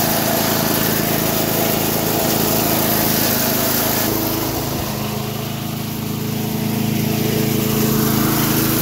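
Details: 1991 all-steel MTD 8hp chipper/shredder, a dump find with a Tecumseh HM80 cast-iron-sleeve engine, running after a new wheel and carb adjustment. Steady, even single-cylinder drone while chewing material, with no misses or knocks; running healthy.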